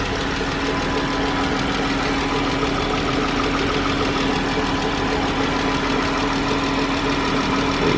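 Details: 2013 Chrysler 300 3.6L V6 at idle before repair: light, quick lifter-like valve train ticking that keeps pace with the engine, louder on the driver side.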